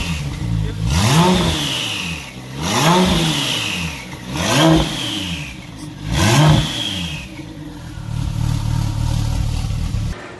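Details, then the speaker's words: Porsche 911 Turbo on a COBB Accessport stage 3 tune for 1,300 cc injectors and 93 octane, coolant fittings replaced. Three clean blips to the limiter and back with no stumble or popping; it previously ran terribly with blue smoke. Normal revving. "that is folks how you supposed to have it sound it's still gonna need to have some fine tuning done this is how it supposed to sound no more smoke sounds clean"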